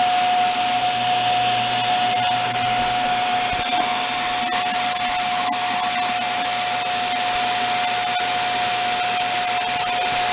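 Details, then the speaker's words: Hoover Air Steerable WindTunnel vacuum on a warmer day after a cold start: steady motor roar with a sharp high whistle from the top. Hose found plugged, weak suction at the hose. Weak suction with whistling airflow. "the plug is in the hose because it whistles off the top here"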